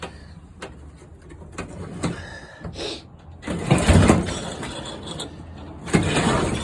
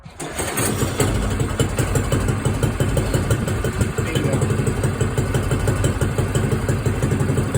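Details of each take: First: Motor-assist tandem trike moped, cold start with the choke on and the clutch released so the friction belt is loose: rough pull-start bursts turn the engine over but it never fires. Owner thinks it may need priming. Cranking no-start, fuel starvation. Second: Small red moped cold start on its stand: starter whirrs briefly, then the engine catches into a quick, slightly uneven putter of about three beats a second; choke then turned off and governor holds idle; normal cold start.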